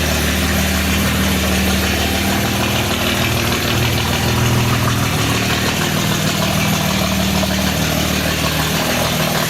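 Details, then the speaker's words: 1952 Jaguar XK120 FHC six-cylinder, first start in 40 years after Lucas C45PVS generator rebuild, starting carburetor in use, good pressure: steady, even idle with smooth low rumble, no knocks or misses; healthy. "Smooth, isn't it? It's awesome. Wow. Look at that. First start in 40 years."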